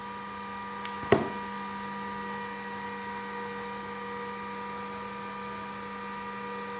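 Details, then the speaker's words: GPNI 2.2 kW 220 V spindle on a Fuling DZB300 inverter, set to 24,000 rpm: smooth steady high whine, even pitch, no wobble, knock or grind; normal running. "Ini di angka 24.000, selancar ini, kan?"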